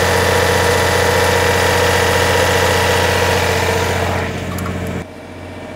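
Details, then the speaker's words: MEP 1040 surplus military diesel generator, bought as non-running parts unit, under load: steady diesel drone holds without hunting, eases off near end; governor keeps up, little smoke expected; normal running under load. "it just loaded up and it kept right up with it so it's doing exactly what it needs to do this is a great sign puffing a little bit of smoke but that's to be expected"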